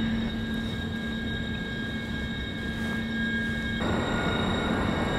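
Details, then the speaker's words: Architectural balustrade in a facade-testing wind tunnel at about 60 km/h continuous wind; steady high whistle over rushing wind, pitch shifting and sharpening as it is rotated, ear-piercing, little vibration — aerodynamic whistling. "in tone as it moves around it gets quite ear piercing after a little while you imagine that would be very irritating table in your balcony your apartment block you'll be very irritating thing to sleep next to"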